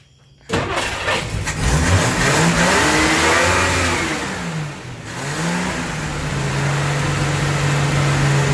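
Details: Dodge Dart with replacement engine swapped in (original jumped timing), first start after install: engine catches cleanly, revs up and back down smoothly, settles into even idle with no misfire or knock, under background music.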